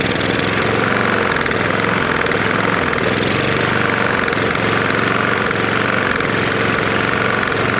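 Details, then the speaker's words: Roadside-found Lawn-Boy mower, 149cc non-OHV single that ingested dirt and grass: steady fast idle with hard regular metallic knock every beat; owner suspects bad lower end or piston hitting the head. "i think i just wasted oil on it because i really do think it's probably got a bad lower end or something"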